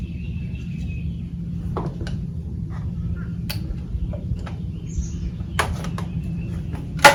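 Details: Johnson QD-23 10 HP two-stroke outboard after carburetor rebuild, high speed screw 3/4 out, low 1 1/2 out, being tuned: steady low drone with scattered handling clicks; running smoothly.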